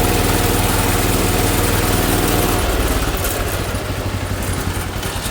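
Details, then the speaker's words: 1980 John Deere 216 lawn tractor single-cylinder on a cold morning after restoration: thumping that labours and slows, straining to run; owner plans to check specs and reset the high idle jet. "It is running like You hear that? It's straining to run."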